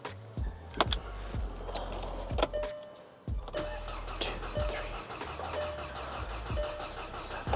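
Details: 2011 VW Golf GTI (MK6), 259,000 km, cranking during a compression test with cylinders about 13 and within 10% of each other; steady starter speed with even compression pulses, no drag; normal cranking.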